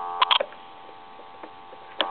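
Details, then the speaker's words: German Post Office telephone after its touch-tone conversion and repair, with the dial tone at the low setting: a quiet, steady low hum with a few light clicks at the start; a clean dial tone, just turned down. "you should hear dial tone now the dial tone should get louder here in a second you should be able to hear that it's a lot louder now"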